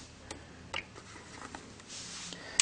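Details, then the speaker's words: Tester base and remote running a test pattern on a freshly made Cat5e patch cable: faint, scattered light relay clicks in a quiet room as it tests each pair; normal, the cable passed as straight-through and under 20 ft. "You can hear the clicking. It's testing each pair."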